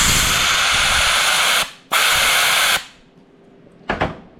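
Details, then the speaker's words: John Deere 4050 split for a no-start, with the C1 clutch piston tested on 160 PSI shop air through a 3/8 hose: a strong, steady hiss each time pressure is applied, cutting off sharply on release, as air leaks past the outer seal; fix is a new updated piston. "much insane so that is leaking around the outer seal"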